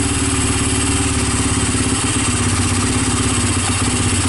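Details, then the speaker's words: Honda TRX300EX single-cylinder ATV, previously seized and no-spark, intake valves adjusted for low compression, running off a carburetor's worth of fuel with a jump pack; idles evenly, no timing chain noise or tapping, normal healthy idle. "engine sounds good, no timing chain noises. No bad sounds. So I think we're all good."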